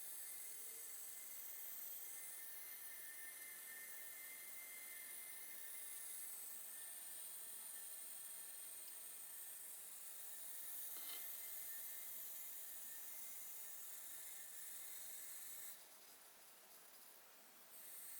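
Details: Computer with Gigabyte board under load: quiet airy whoosh with thin high-pitched fan or electrical whine, an abnormal noise.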